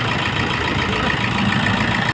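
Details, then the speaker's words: Toyota HiAce 2KD diesel after the injector work and injector code input: steady, even, settled clatter with no knock or stumble; normal idle. "yan yan Okay na siya guys ganda na ung takbo niya pwede na siyang itin ulit"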